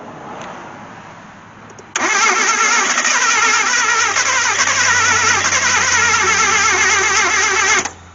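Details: Mitsubishi Mirage that sat for years with no spark and no fuel pressure: the starter cranks the engine steadily for about six seconds but it never fires; crank no-start, cause unconfirmed.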